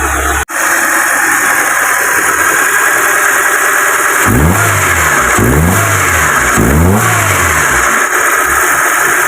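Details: Proton Wira after throttle body cleaning for low idle, stalling and lack of power: steady idle, then three quick blips rising and falling cleanly with no stumble, a healthy free-revving petrol engine.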